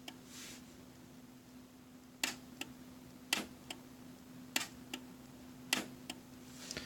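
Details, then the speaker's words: DZ1000 switch machine on the Y switch via ASC2, thrown from iPad and Legacy remote: sharp clean clicks about once a second over faint hum, no growl or grinding; normal switch throw. "Throws without any complaints. And it throws from the legacy remote. That's what I was doing just there, without making any grinding noises."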